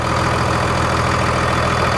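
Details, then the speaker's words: 2002 Dodge Cummins 24-valve diesel after FASS fuel pump install and bleeding air from fuel lines: dense, even diesel clatter at idle, steady beat, no stumble; smooths out as lines are tightened. "You'll notice the tighter that you tighten your lines down the motor will smooth right"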